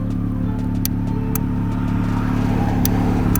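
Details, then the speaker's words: F30 BMW with display key remote start retrofit, mic held close to the control module box: crisp ticks about twice a second like a turn signal over steady idle as the module relay keeps cycling; car also restarts when shut off via key fob. "there's there's like a continual relay clicking which is really annoying"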